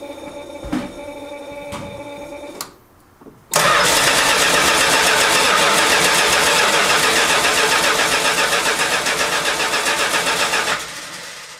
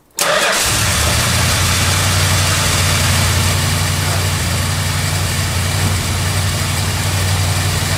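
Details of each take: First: 1971 Chrysler New Yorker after fuel tank, sender, pump and AVS 2 carburetor replacement, first start after 5 months stored: starter cranks evenly about four turns per second for seven seconds without catching; carburetor fuel bowl dry. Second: Cold idle of the 440 V8 in a 1971 Chrysler New Yorker after a fuel system overhaul (new tank, sender, pump, AVS2 carburetor). It fires instantly, then the choke idle is backed down from too high. It settles into a smooth, steady idle with no knocks or misses. Normal.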